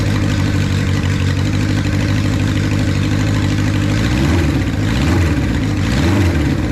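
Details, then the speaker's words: 1976 Honda CB550 Four, 10,409 miles, first start after 34 years (last ran 1991), still cold with the choke just taken off: a steady, even idle with a smooth low drone, no misses or knocks, immediate throttle response and loud pipes. Running cleanly. "The response on the throttle is immediate. Man, I mean, it sounds good. Those pipes are louder than I like, but I can't deny they sound really good."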